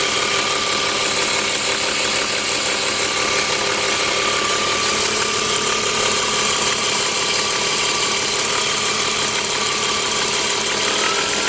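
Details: BMW 325iS idling: thin steady whine at constant pitch, slight rise near the end; caused by two faulty remanufactured replacement alternators.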